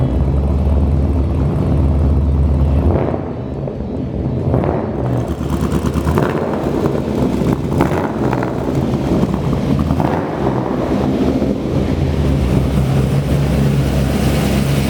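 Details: V8 on its first fire, run briefly with no coolant, exhaust heard from the back: deep, lumpy rumble with a few throttle blips, running steadily; sounds healthy.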